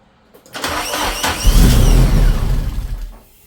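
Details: Car started after sitting for months with an almost full tank: engine cranks and catches with a rough, uneven roar and odd high scraping, rubbing tones, then stalls by itself within seconds.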